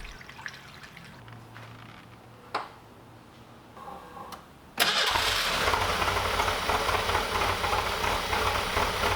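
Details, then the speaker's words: 1985 Fiero 2M4 revived after 20 years sitting, first start after engine reinstall: quiet cranking, then an unsteady, uneven idle swinging very high or almost dying, nearly stalling after throttle release. No vacuum leaks found; cause unconfirmed. Erratic idle. "the idol was either extremely high or almost dying there's no vacuum leaks or anything I checked"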